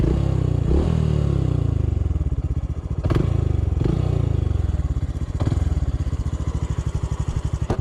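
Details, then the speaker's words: Honda CT125 climbing a steep uphill trail under power: low chuffing single with sharp metallic clacks a couple of seconds apart; rider suspects the cylinder, noise also in gear. "the engine's making all sorts of metal noise okay why don't you ride it see what sounds you hear yeah in here sounds like it could be the cylinder"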